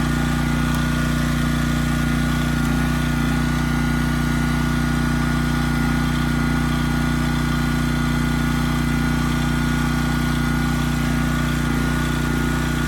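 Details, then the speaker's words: Briggs & Stratton Elite Series generator, model 030471-01, stored 5+ years, fixed from 35 V back to 120 V output; steady, even drone holding engine speed under 3000 W load, no hunting or dips; normal running under load. "And after plugging this in, the engine kept running fine. So I don't think we have an issue there. And on the load side, we also did pretty well too."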